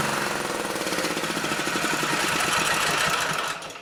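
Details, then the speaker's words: Auction generator at no load, restarted with choke to set a little over 60 cycles: fast, hard-pulsing buzz at high revs with no dip toward idle; overspeeding because the idle stop screw is fully in. "Idle stop screw is screwed all the way in too, so. That's why I couldn't turn it down anymore."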